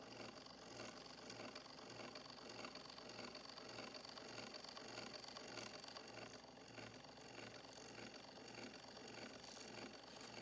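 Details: Straight-cut gear mesh on a 1905 Victor II phonograph after rebuild, crank installed, bearing set and gears greased with graphite mixture (brass gear on steel): soft, steady whir with faint gear rattle pulsing about twice a second; now smooth and quiet.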